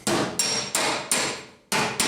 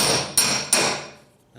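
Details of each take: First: Hammer-and-dolly dent removal on a 1971 Chevy K5 Blazer panel: nine dull, low-pitched thuds from off-dolly hammering. Hitting directly on the dolly gives a higher pitch. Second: you could i don't know if you can hear but you can hear kind of a low pitched hammer what i'm doing here but then when i hit too close to on dolly you can kind of hear the difference it's kind of a higher pitch yeah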